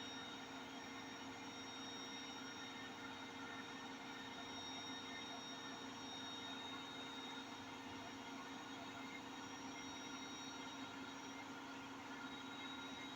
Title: My Hotpoint 8kg NSWM 843C INVERMOTOR 1400 Washing Machine doing a 1400RPM Spin with Bad Bearings